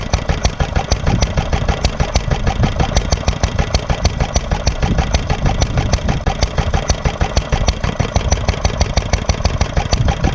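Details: Granddad's 1946 International Harvester LB hit-and-miss engine, restored, started cold, running at full speed about 1,000 RPM as specified: crisp, regular firing pops roughly three a second with a deep thump underneath; normal hit-and-miss firing.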